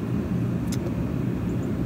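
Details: Kerosene/diesel forced-air heater running indoors during a carbon monoxide test: a steady, even low roar of burner and blower with no surging, rattles or pulsing. Running normally and heating fast.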